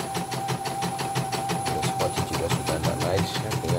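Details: CNY portable embroidery machine after repair of skipped stitches and heavy rotation, presser foot, needle and rotary hook reset: even steady stitching, light tick each stroke; running cleanly.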